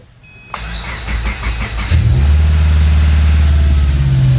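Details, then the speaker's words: Burnt Subaru Forester from auction (fire-damaged engine bay, burned radiator and shroud), fresh battery, about a quart of fuel: brief crank, fires first try and settles into a deep, steady idle with no misses or knocks; normal start. "Hey, it runs. Let's go. It runs. That's nice. First try, let's go."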